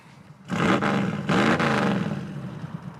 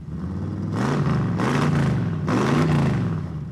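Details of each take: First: Big-block 1980 Mirada Pro Street car at wide-open throttle: two hard, deep roars, then a full, even bellow as the engine pulls cleanly and "does sound better". Normal wide-open throttle. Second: Big-block 1980 Chrysler Mirada Pro Street car, just started and not yet warmed up. The V8 revs unevenly, surging and stumbling between blips, "sounds like a motor home". Rough running; possibly it needs to warm up, cause unconfirmed.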